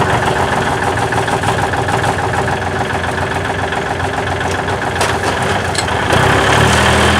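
Steady, even idle at about three and a half firing pulses a second with no misses or knocks; the engine is settled and healthy after a cold start.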